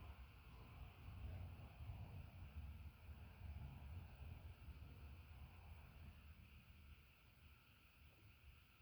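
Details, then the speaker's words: Nutone 48" Proline commercial/industrial ceiling fan PFC-48 on solid state speed control: soft low rumble of moving air, no ticking or hum, borderline silent — normal quiet running. "Well, from down here, yeah, you're right. It is silent. I'd call that borderline."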